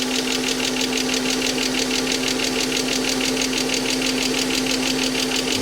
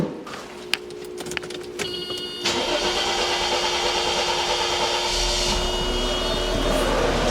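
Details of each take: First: Mercedes AMG coupe on first start since 2009 after long storage: a quick, even lifter tick rides the idle in time with the engine. Oil starvation from sitting; the tick went away once oil circulated. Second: Mercedes pre-merger AMG coupe with M104 engine, first start since 2009 after fresh coolant: short crank, then catches and settles into a smooth even idle with no knocks or misses; healthy start.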